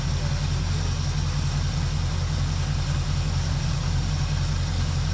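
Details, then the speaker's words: 1976 Chevrolet Malibu V8 with Holley carburetor, after needle and seat repair: steady low rumble with regular firing beat, no misses; not smoking, judged good to go. "I can I can kind of hear it but she's not smoking she's good I think she's good to go"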